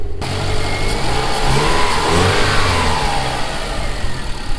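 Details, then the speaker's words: Subaru GC8 with JDM EJ205 turbo engine and home-built external wastegate, back together after a week: catches straight away, revs up and back down smoothly with even beat, no misfire or knock; runs healthy. "Let's give it a start, show you guys it runs good, and then we'll end it off."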